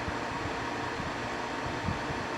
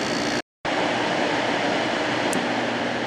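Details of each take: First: 1995 Carrier VisionAire window A/C, 6050 BTU, 6 A, cleaned out and fitted with a new cord, starting its test run: steady even whoosh of fan air over a soft low hum, no knocks or rattles; normal running. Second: December 1995 Carrier VisionAire 6050 BTU 6 A window A/C: with fan off the front thermostat sensed cold and shut the compressor off, then restarted it when the fan came back on; sharp click and hum shift; compressor short cycling.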